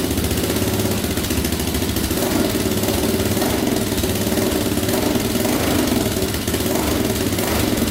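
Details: 2004 Yamaha Raptor 660 quad, choke pulled manually, before carb cleaning: steady, even idle with an unchanging beat, no misses or knocks; owner thinks compression sounds fine and suspects no air leaks.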